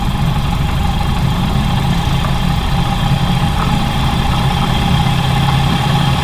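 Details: Ford Model A petrol engine with a choppy, uneven idle and exhaust explosions: a clogged fuel line starved it, making the mixture too lean and causing constant misfiring and power loss after about three minutes of driving.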